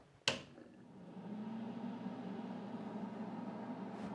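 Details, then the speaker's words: Small four-tray Excalibur food dehydrator with adjustable thermostat, bought used: switch click, then a soft, steady low fan hum that settles in evenly and stays quiet; fan running normally. "bit of noise but it's very quiet so that makes it very nice"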